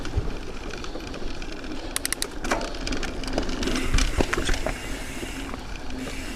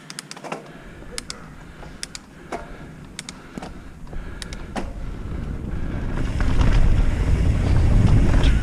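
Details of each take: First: Carbon bike frame on the trail: irregular light clicking and slapping over trail rumble, internal cables rattling loose inside the frame tube, before fitting a cable quieter inside the tube. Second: Carbon mountain bike after fixing internal cables that rattled inside the frame: on the trail, tyre rumble with only a few faint ticks of occasional cable slap from two loose cables, no frame rattle; much quieter than before.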